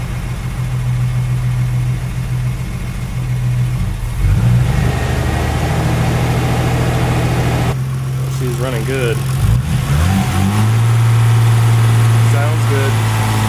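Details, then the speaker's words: Freshly rebuilt Nissan RB26 engine, 9.0:1 compression with CP pistons, N1 oil pump, first start with exhaust on, cold before warm-up: catches, even idle with throttle blips, no knocks or misses, no excessive blow-by. Healthy. "Got no excessive blow-by right now, which is good. So yeah, I'm gonna let this thing warm up and check for leaks, and I'll let you guys know what happens."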